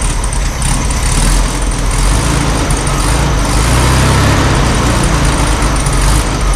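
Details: 1972 VW Super Beetle, first run after about 20 years in storage, carb cleaned: steady, even low thrum with no misses, knocks or hunting; the air-cooled flat-four idles smoothly and healthy.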